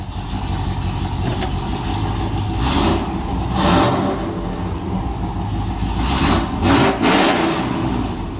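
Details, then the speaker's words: 355 small-block V8 with ProFlo 4 port fuel injection in a 1993 Chevy C1500 Silverado: throaty engine climbs and drops through several quick blips with crisp pickup and a loud, rumbling exhaust; revving normally. "You can hear it run. The exhaust is putting away."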